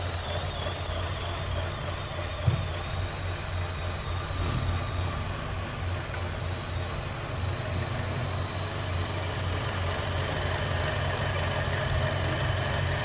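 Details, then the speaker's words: 2014 Chevrolet Cruze 1.4L with fuel trim, oxygen sensor, idle and airflow codes: struggling, uneven idle with a steady hiss from a vacuum leak, a ruptured diaphragm; fixed with a PCV kit. "okay as you heard there is a problem of vacuum uh coming from this pot here so the main problem with these there is a diaphragm here and that diaphragm is ruptured"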